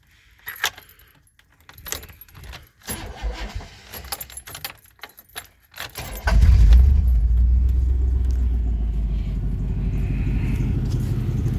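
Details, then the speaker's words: Old rusty pickup truck at startup: fires into deep booming unmuffled idle much louder than stock; owner suspects mufflers removed or catalytic converters cut, unchecked; loud exhaust, slight belt squeak noted. "I haven't gotten underneath it to look but it's loud as so I'm assuming either the Mufflers are off or the cats are cut"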